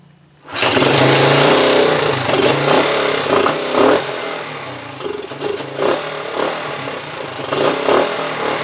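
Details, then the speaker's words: 1974 Honda TL125 single after carburetor cleaning, before points, timing or other work: hunts unevenly at idle with surging revs and pops from exhaust and carburetor; unsteady idle, cause unknown. "I could not get a good steady idle there was some popping coming from the exhaust and through the carburetor"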